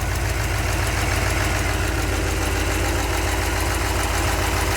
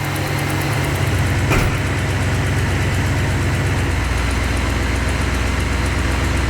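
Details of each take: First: 383 stroker V8 in a truck, after engine repair, warming up outside at idle: fast, light ticking over a low rumble from a couple of small exhaust manifold leaks; gaskets used instead of RTV on a chewed-up manifold. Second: 383 stroker V8 in a truck, just after engine repair (exhaust manifold gaskets instead of RTV), idling outdoors during warm-up with a deep, even lope and no knocks or ticks; a couple of small exhaust leaks remain and fuel pressure may need raising.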